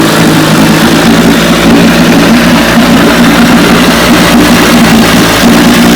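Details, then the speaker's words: 1957 Johnson 18 hp outboard in a barrel test run after restoration: loud, steady two-stroke drone with an even beat, no misses or knocks; runs cleanly, passed the barrel test. "1957 18 horsepower johnson passed the barrel test"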